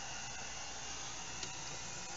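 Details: Fridge run from a Harbor Freight solar kit, compressor running with thermostat set at 10: steady even low hum with faint hiss, no knocks or rattles, running normally.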